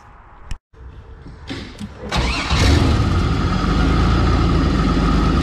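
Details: 1984 Pontiac Fiero with 3800 V6 swap after replacing reused header gaskets and adding a V-band exhaust clamp: engine cranks, catches and idles steadily with no ticking or puffing; exhaust leak fixed.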